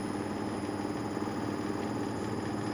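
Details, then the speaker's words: Inverter air conditioner fitted with a universal control board, during a gradual liquid refrigerant charge: a steady low hum with a light rattle as the outdoor unit fan and compressor start, drawing about 0.6 A; normal. "encendió el forzador de la unidad exterior y se escucha un leve zumbido y un traqueteo del compresor"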